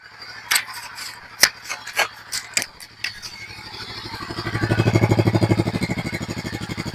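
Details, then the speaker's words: Royal Enfield Himalayan 450 (Dec 2023 model, ~14,000 km) after Royal Enfield-approved cylinder head replacement for ticking that began around 5,000 km: few clicks, then even idle thump with no tick or clatter; pure engine noise, healthy. "ഇപ്പോൾ നിങ്ങളുടെ sound കേട്ടുകാണല്ലോ ഒരു മാര mechanical കാറ്ററിന്റെ ഒരു sound പോലും pure ആയിട്ടുള്ള engine noise മാത്രമാണ് ഇപ്പോ കേൾക്കുന്നത്."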